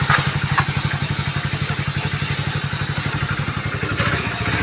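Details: Hero HF Deluxe BS6 100cc bike idling after clutch plate replacement: even single-cylinder thump about four beats a second, steady with no clatter or misses; healthy.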